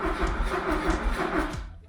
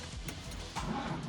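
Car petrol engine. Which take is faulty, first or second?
first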